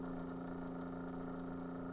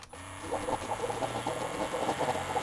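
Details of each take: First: Keurig coffee maker brewing, microphone tipped toward the pump: a faint steady hum with a low, lazy pulsing and no surge of flow. The water pump turns far too slowly and no water pours. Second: Keurig coffee maker pump brewing after a repair and modification, with the fill level adjusted slightly: even buzzing pump hum with rapid steady pulsing for several seconds while it pours; normal pump operation.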